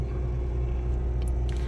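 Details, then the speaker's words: Suzuki Swift with the AC on, after repair of a harsh drone and vibration felt at the steering wheel with the AC running: a smooth, steady low rumble with no harsh drone; the AC cools fine and sounds normal, with the compressor flagged to the owner. "Buny sih enggak kayak tadi. Ini lebih halus lagi"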